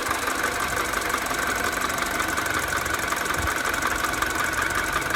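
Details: 2007 Mini Cooper (non-S) N12 on a cold start at idle. A light tick about once a second over the hum, which follows the revs down as it warms; it persists when warm and fades above 2000 rpm. Heard on the left side; a new tensioner didn't fix it.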